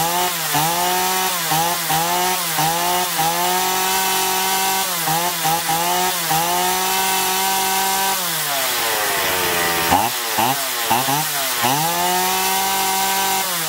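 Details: Chainsaw after carburettor cleaning and L/H screws set one and a half turns out, previously surging and losing power even unloaded; revs cleanly, pitch dips into wood and recovers, no bogging, running healthy.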